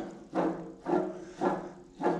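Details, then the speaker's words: John Deere GX75 mower deck blade spindle, removed and turned slowly by hand after being hammered: a gritty rasp about every half second from worn spindle bearings; owner also suspects the shaft is bent. "What I'm noticing is that I think the shaft is bent."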